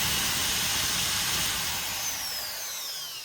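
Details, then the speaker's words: Repaired multi-purpose grinder that would not run, after wires were measured and it was mounted on a four-leg jig: steady high-pitched motor whine, even and smooth, easing off as it slows; runs continuously, normal running. "này mình sẽ bật cho các bạn xem này Đấy bậy chạy liên tục"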